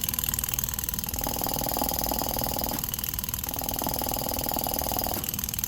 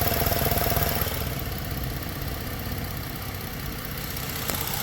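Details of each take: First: EVAP canister purge valve driven by scan-tool actuator test at about 10% duty cycle: fast, even popping tick about four per second over a quiet idle, in waves; circuit passes, but the valve may be sticking or mechanically failing. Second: Ford idling with a new Motorcraft EVAP canister purge valve commanded to 10% duty cycle by a scan tool: an even, quiet idle with no ticking. The old valve, which made a whacking noise, was suspected of hanging up.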